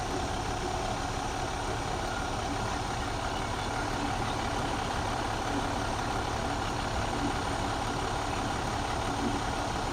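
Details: 2014 MCI J4500 coach, fresh Cummins engine, heard at the rear engine bay: steady, even diesel clatter at a settled idle with no misses, knocks or hunting; a healthy engine.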